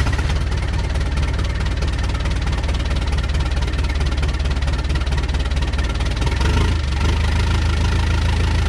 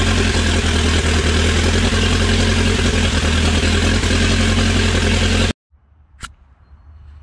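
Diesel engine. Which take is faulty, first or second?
first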